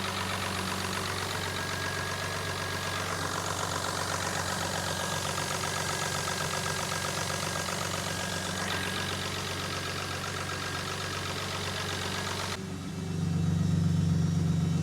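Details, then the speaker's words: Jaguar AJ30 3-litre V6 (from an S-Type) swapped into an MGB GT, warming up at idle, alternator now charging, very quiet exhaust; smooth even idle, no knocks or misses, smoothing out and idling really well. "Um, but it's sounding really nice. It's it's smoothing out. Um, it's idling really really well."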